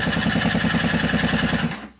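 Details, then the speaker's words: Scooter with a newly fitted cheap replacement cylinder and piston after a piston seizure; starter spins the small engine fast and evenly with no firing after starting spray into the intake, cranks but won't start. "ich komme mit dem roller irgendwie nicht weiter ich kriege nicht zum laufen"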